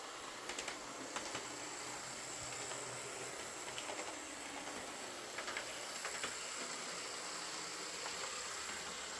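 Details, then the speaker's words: Old Lima Class 50 model locomotive, reported scraping, after full service, filed gears and replaced missing buffer: even high-pitched motor whir with faint gear ticking, no scraping; normal running. "They said it was making a scraping sound, but uh on test running it just sounded like I'd expect an old Lima to sound, but I gave it full service, filed the gears, and replaced the missing buffer, and uh it runs as well as any old Lima will."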